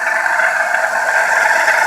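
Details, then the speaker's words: 2006 Buick Lucerne 3.8L V6 running: constant rough whirring and light rattle from the water pump, worn bearing near failure; coolant wetness seen by the crank pulley from the leaking pump, before replacement. "water pump right there if the water pumps making so much noise I'm sure it's gonna go out here pretty soon"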